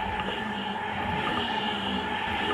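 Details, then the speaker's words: Honda Vario 125 scooter CVT with the pulley removed: a steady, even whir from the spinning final drive with no grinding, showing the earlier grinding noise was not from the final drive gears. "Jadi suaranya halus, nggak ada bunyi gerasa grosok ya tadi."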